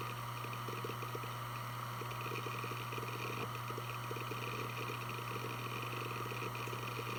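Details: Western Digital Blue WD1600AAJS 160GB 3.5-inch 7200 rpm SATA hard drive, made 2014, only 17 hours, on a USB adapter doing file operations: even low spindle hum with bursts of soft seek ticking. Healthy, normal seek noise.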